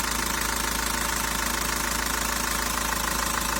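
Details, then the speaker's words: 1.9 dCi diesel, hot after a city drive, idling after the sensor was cleaned: even clatter about 200 beats a minute, no misfire, pressure holding steady; previously revs floated and it jerked. "Як бачите не дома по датчику після промивочки працює нормально Нічого не троїть тиск не падає там не піднімається якби держить плюс-мінус нормально"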